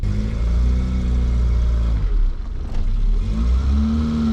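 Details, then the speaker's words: Peugeot 205, warmed up off camera, new spark plugs fitted, clutch adjusted, recorded on GoPro: low even idle rumble holding speed with no misses or hunting; holds a perfect idle. "there normally with new spark plugs it holds a perfect slow motion"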